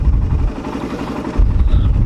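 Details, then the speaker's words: Raider 150 carb engine with throttle blips: revs rise and fall cleanly with only a faint even mechanical whirr, no loose rattle or tatak-tatak on return to idle; normal, healthy engine. "Pero kapag ganito lang mga ka-rider, wala naman, parang naririnig mo lang yung tunog ng mga bakal sa loob, natural lang"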